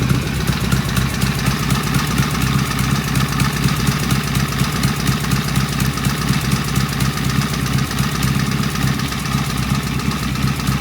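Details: Vintage British motorcycle on its first start, previously a runner, carburetors tickled, primary open, with pseudo-Dunstall mufflers: a crisp, even beat at steady idle with no knocks or misses that settles and holds speed. A healthy-sounding engine.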